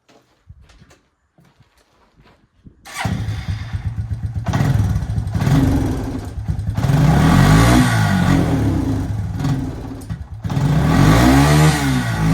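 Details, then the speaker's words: Suzuki Quad Runner 250 quad bike started and revved: each rev climbs briefly then sags with a stuttering beat, mimicking a blocked carb jet or faulty coil; actually overvoltage from a faulty regulator rectifier. "Go to rev it, and it breaks down. Revs for a little bit sometimes, and then breaks down. Just like a blocked carby jet, faulty coil, but it's not that."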